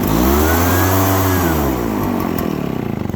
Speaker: Now it's got all of that excess gas in there, you hear it? Now it's got it burned out, and now it's all good again.